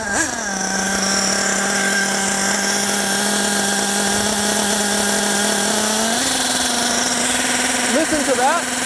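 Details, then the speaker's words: Nitro RC buggy (G8X) during low-speed needle tuning, warm: a high, thin, ringing idle that creeps higher as the low-speed mixture is leaned past the threshold. Pinging means too lean; richening brought the idle back down. "it's pinging that means my low speed is too lean I'm going to richen it and bring it back down"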